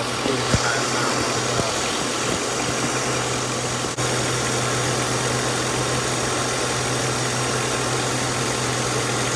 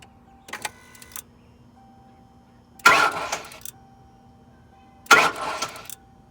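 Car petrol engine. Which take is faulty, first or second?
first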